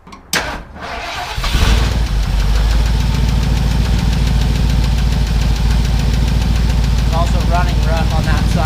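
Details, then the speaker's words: Ford Bronco 351M warming up at idle: slightly rough idle with a quick, steady tick. The tick comes from under one valve cover; the other side sounds smooth. Owner suspects a bent pushrod or an assembly error; valvetrain tick. "you guys can hear that just tick tick tick tick [Music] tick not good I'm going to go shut it down I think I bent a push rod"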